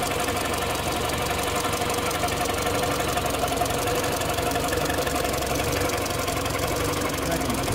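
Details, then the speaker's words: Mini with Prince engine, 153k on the clock, engine light and several fault codes: light rapid metallic rattle about four beats a second, slightly uneven, over idle; owner asks if it sounds normal, source unidentified. "this is the dreaded shite engine. And why have I gone and bought this one again? I don't really know. So I'm going to see what this engine code is, and we'll go from there. Does this sound normal?"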